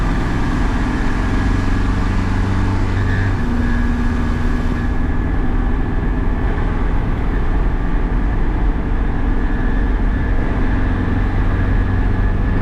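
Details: Cummins 4BT Tahoe with compound turbo, after manually cleaning coked injectors and a test drive: even, steady diesel rumble at idle with no stumbling, knocking or surging; no more haze or smoke.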